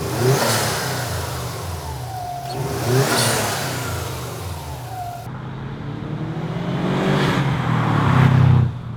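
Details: Turbo car with a GFB adjustable blow-off valve set to full recirculation. Revs rise and drop cleanly with a soft whoosh on lift-off and no compressor surge flutter: normal blow-off valve recirculation.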